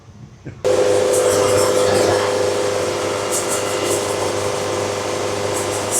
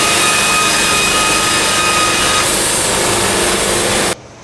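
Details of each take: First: Sawmill band saw cutting a log, feed speed being raised step by step. Steady mid-pitched singing tone from the blade, not yet reaching the clean E-flat note heard at optimum speed. Feed rate still slightly below optimum, with less sawdust than earlier cuts. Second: Sawmill cutting a board at a properly increased feed rate: even, steady roar of the blade for about four seconds with no chatter or resonance; clean cut.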